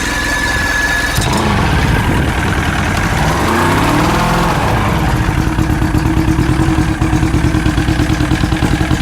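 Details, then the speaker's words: Old fishing boat outboard started after battery, water supply and pressurized fuel line were hooked up: it cranks, catches, revs briefly, then settles into a steady, even idle with no knocks or misses; normal idle. "Okay. That sounds really good. Yeah, it did."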